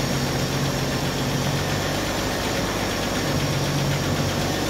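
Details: 1964 Chevrolet Impala inline six, first run after sitting since 1995, fuel with two-stroke oil in it: steady, even idle with smooth low hum, no knocks or misses, slight smoke; normal idle.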